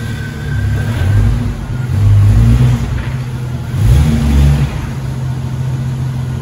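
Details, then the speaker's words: 1994 Jeep YJ after ECU and fuel pump repairs, driven gently in first and second gear: smooth rev rises with no misfire or knock. "so all right she runs she drives pretty well i went first and second gear didn't go too fast"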